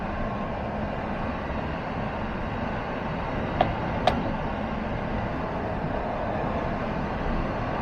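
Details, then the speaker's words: 2015 Chevrolet half-ton pickup on a test drive after repair of an idle misfire caused by a worn valve lifter and camshaft: smooth, even drone at speed under light load, no stumbles, road noise, zero misfire counts; normal running under load. "now we're getting her up to speed and under a little load everything's good to go"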